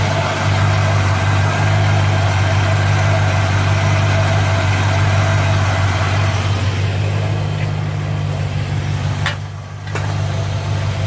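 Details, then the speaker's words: Worn 1957 Chevy convertible V8 with over 250,000 miles, idling after the loose exhaust manifold bolts were retightened to stop a leak; deep steady idle rumble with no more of the clack-clack in the exhaust, sealed up, though timing still needs setting. "much better [Music] I think it's I think it's sealed up [Music] because even at idle before you hear that clack clack clack in the exhaust"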